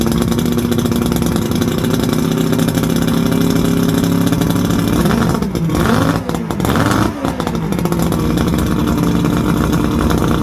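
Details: Johnson 90 hp V4 Seahorse two-stroke outboard on a 1979 Steury boat, first run after sitting, telltale plugged: a steady buzz with brief throttle blips and no missing or knocking. Normal running, though it may need plugs.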